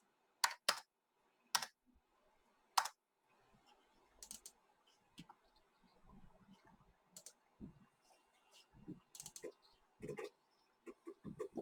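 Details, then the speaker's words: 33-year-old Apple 20SC 20MB external SCSI hard drive copying files from a Macintosh LC: irregular sharp servo clunks and ticks in quick bursts over a faint hum, normal head-seek noise. "oh there we go hear that nice servo okay clunk clunk"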